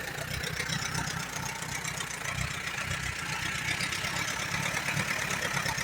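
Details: 1938 Allis Chalmers B with Waukesha engine, recently bought: uneven, lumpy idle with irregular firing and a hissy exhaust, barely holding on. It runs only on choke, plugs are slightly rich, and the carburetor needs rebuilding badly.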